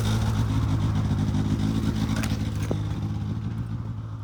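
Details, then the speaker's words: 2006 Polaris 700 IQ Classic two-stroke snowmobile idling outdoors after a battery charge, having sat a few weeks: steady low burble with an even beat and no misses or knocks, a clean, healthy idle. "So I got it all running now. As you can probably hear it outside. All it took was a little bit of a charge to the battery because the battery didn't have enough power."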